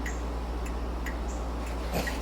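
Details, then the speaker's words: 1972 Ford Mustang Mach 1 during restoration, key on, headlights on: faint uneven flasher clicks about twice a second with lights only flickering, flasher already replaced; turn signal switch or bad marker-light ground suspected, signals work with headlights off. "but if you look at the lights i get no flash i got a flicker but no real hard flash"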